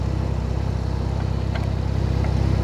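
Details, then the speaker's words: 2012 Camaro (not a V8) after radiator repair, idling: smooth, quiet, even low beat with no chain rattle or ticking, earlier brief weird noise blamed on the computer box touching a pulley; normal idle. "That sounds good. It ain't no V8, but I'll tell you what, it sounds good. Listen how quiet that is."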